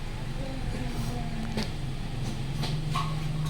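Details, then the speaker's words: 2018 Hyundai Accent 1.4 after cleaning the throttle: a low, even idle with no hunting or dips, where rpm had earlier wandered and dropped around 1000; idle now stable. "kasama stable na siya Oh wala ng kagalaw galaw kanina h mo maintindihan kung saan pupunta yung RPM eh"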